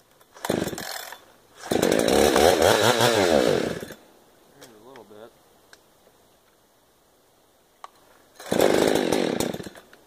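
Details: 372 chainsaw with a recently rebuilt carburetor that kept dying after starting: revs in short uneven bursts with a ragged, unsteady note; running rough, carburetion issue suspected, possibly crud in the carb.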